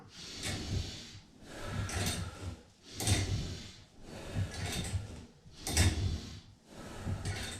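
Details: On a Total Gym Apex 1, a two-arm row on the slider is done with the cables crossed to add tension. Each rep, about every 2.5 s, brings a slow rhythmic swish as the crossed cables rub together: cable rubbing noise, less smooth but not bad.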